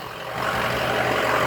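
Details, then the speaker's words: 6.0 diesel truck that dies when the coolant bottle is installed, running with bottle removed: steady even diesel idle with low rumble, no misses or stumbles; normal idle. "up got the bottle out of it running like a champ rather a champ"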